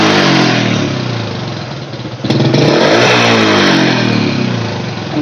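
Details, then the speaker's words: Honda Supra Fit X motorcycle after carburetor work and air-screw adjustment (set for highest idle): engine rises and falls cleanly with throttle, slight lag on sharp blips but full at the top, no stumbling or dying; normal revving. "Mas Iya seluruh motor tuh kalo digas kejut yang enggak langsung respon Mas tapi kan nggak kosong ujungnya berisi ya"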